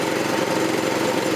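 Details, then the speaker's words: 1984 Troy-Bilt tiller with 6.5 HP 212cc Predator engine, replacement short-nose spark plug fitted after a no-start: steady, even, fairly quiet idle with no misses or surging, sounds no different from last year; normal. "It's running though. Sounds good. Fairly quiet. Doesn't sound different from last year."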